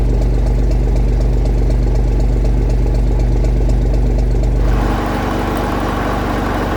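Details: 1965 Gardner 6LXB 180 marine six-cylinder diesel on test stand after rebuild (it had failed 80 hours after a previous overhaul): slow even beat about four pulses a second with steady low rumble; regular healthy firing.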